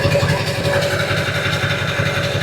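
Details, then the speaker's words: Normal cold idle of a 7.3 Powerstroke diesel bought cheap as a donor engine: an even, low diesel rattle with no misses or knocks. It started fine with a little blue smoke at first, and there is no blow-by pressure. "Number two, it started just fine. I don't know what your problem was."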